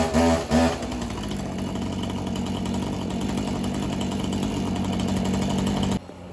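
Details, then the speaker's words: Husqvarna 445 50cc two-stroke chainsaw, first start after over 10 years unused, run about a minute to wet diaphragms: climbs to a steady, even high rev and holds cleanly with no surging; running fine. "guys so not much to this one to be honest with you seems pretty good"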